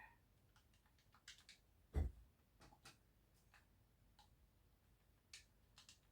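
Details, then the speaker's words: Xbox controller after its worn rubber conductive button pads were replaced: sharp, light, irregular clicks in a quiet room as each button is pressed. The repaired A button now clicks like the others, so the buttons work properly. "that air buttons now you can hear it clicking you know like the others so this should be all right now"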